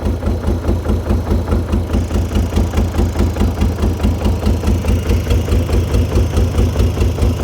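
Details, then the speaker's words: 1989 BMW 535i E34 with M30B35 six, long-stored and on old fuel: slow, lumpy idle with a heavy thump about twice a second, barely hanging on and stumbling when given gas; owner suspects bad fuel. "I mean it's running but it's just low RPM like it's just"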